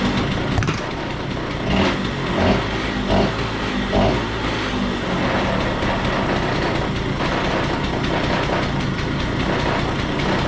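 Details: Stella two-stroke scooter after cleanup, cleaning oil-filled air box, re-adjusting the starter and setting adjustment back to three and a half: steady, even idle with no stumbling or hunting over about ten seconds; running properly.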